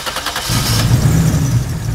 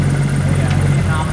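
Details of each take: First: 2JZ-GTE turbo six swapped into a Mercedes SL500 with 6-speed manual; lumpy uneven idle and blips with irregular stumble. Misfire, two cylinders dead. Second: 2JZ-GTE turbo six swapped into a Mercedes SL500 with 6-speed manual, after fixing two injectors that were not firing; unplugging them drops rpm and roughens idle, so all six are firing. Steady even idle rumble. Normal idle.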